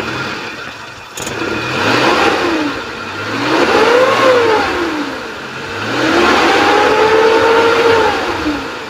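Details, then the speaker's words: 2001 Suzuki Futura Realvan GRV carbureted engine, revved slightly from idle: swells up smoothly twice and drops back with an even tone and no knocks, ticks or rattles, no white exhaust smoke. Normal engine. "sedikit saya naikkan RPM ada suara yang janggal apa enggak kita coba cek"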